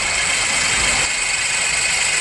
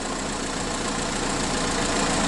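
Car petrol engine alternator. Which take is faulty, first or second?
first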